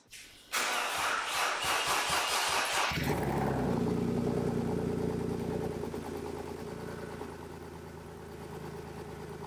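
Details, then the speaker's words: Wrecked 2005 BMW E46 330i ZHP, 6-speed manual, after refuelling with lawnmower gas and priming: cranks a few seconds, catches and settles into very loud raspy idle; open headers, previously replaced, vent exhaust straight out. "the there open headers that's why it's so loud and on top of that someone actually replaced the headers a while back"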